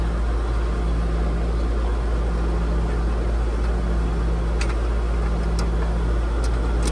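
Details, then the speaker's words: Outdoor AC condenser with its contactor jumped out, bypassing a Nest thermostat that has no C wire: steady low hum and fan whoosh, running smoothly and evenly. Normal operation. "at like butter it's working without our thermostat right now"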